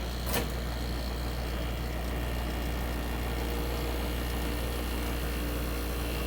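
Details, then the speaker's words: 1965 Fedders Weather Wheel air conditioner, cold start in a very cold shop: brief click, then low steady hum, no knocking or rattle; compressor smooth and very quiet at almost 59 revolutions per second, head pressure starting to build. "Alright, so the compressor is running smooth. It's very quiet."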